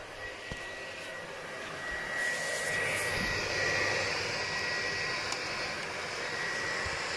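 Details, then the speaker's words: PlayStation 4 fan before cleaning and new thermal paste on the processor; steady loud vacuum-cleaner-like roar rising and holding high from overheating. "bu peki duyabiliyorsunuz Tanrım aynı elektrik süpürgesi gibi çalışıyor"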